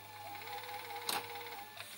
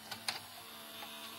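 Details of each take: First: Toshiba V855F VHS video recorder after capstan belt replacement: quick clicks and short motor whirs as the deck loads and shifts modes, mechanism fast; normal tape mechanism operation. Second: Toshiba V855F VCR (V-series mechanism, apparently made in England): cassette threads normally, then a couple of sharp clicks and a faint thin whir as play halts and the deck enters protection mode; tape doesn't retract, worn capstan belt.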